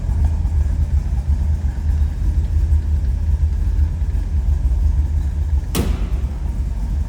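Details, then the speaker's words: 1931 Ford Model A roadster pickup street rod, 350 small-block V8 with tri-power (three deuces) carburetion, heard from behind at the exhaust. Steady, even low rumble with no misses or knocks. Normal idle. "Slip around the back so you hear this run. Nice little rumble coming out of that small block."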